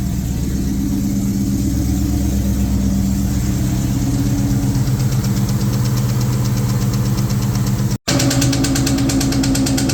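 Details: 2003 SVT Cobra, freshly built supercharged V8 on first start, conventional break-in oil, open headers: quick light tapping at idle, still present with the supercharger belt removed, seemingly from the valve cover; cause not pinned down.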